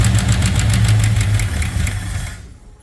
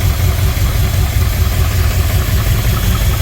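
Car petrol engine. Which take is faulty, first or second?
first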